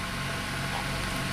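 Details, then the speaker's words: 1997 Honda Accord EX 2.2L with a P0118 ECT sensor circuit-high code and intermittent high idle; the cold engine warms with the ECT reading 62–84: smooth, steady hum at a raised fast idle, no stumbles; high idle. "you can see that we have a high idle and that is goes right along with our complaint that we had a high idle and a check engine light"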